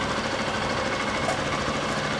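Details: 2011 Honda Bros 150 motorcycle after shop repair of a customer-reported strange engine noise, test run: fast, even single-cylinder chatter at steady idle, no heavy knock or scraping. Normal idle.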